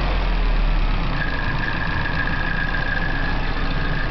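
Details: Nissan 240SX KA24DE warm idle after running a while: light fast tick riding on the engine note, also heard through the exhaust; owner suspects a sticky valve lifter, possibly knock, unconfirmed.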